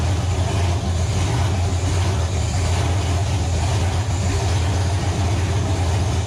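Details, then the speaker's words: Nova engine, first start on the stand after six months of troubleshooting: loud, deep, even rumble at steady speed with no misfires or knocks. Runs smoothly; a gauge suggests a possible wiring issue. "assuming this thing actually fires up it's going to be extremely loud so headphone warning"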